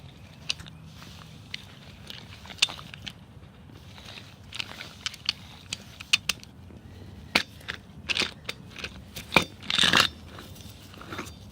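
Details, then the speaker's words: Old Toyota Tacoma wheel bearing, removed and turned by hand: irregular gritty crackling and sharp clicks; in the vehicle it was loud and whiny, unlike a new bearing. "this is my old toyota tacoma wheel bearing that it that was making really nice and not nice but really loud sound and noisy whiny and what happens is this is the bearing this is a bad bearing this is the sound that it makes"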